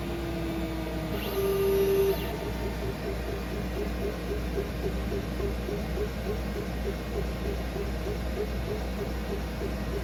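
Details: Glowforge Pro laser cutter engraver running a job: steady fan hum under a quick, even patter of light ticks as the print head traces its path; normal operation.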